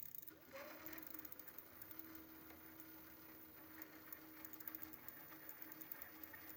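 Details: Prophete Entdecker e8.6 e-bike with a Bafang BFSWX02 250W 36V rear geared hub motor (planetary gears), 5 months old, 3 in use, about 1000 km of daily hilly riding: a steady whine with faint fast ticking, pointing to noisy hub gearing.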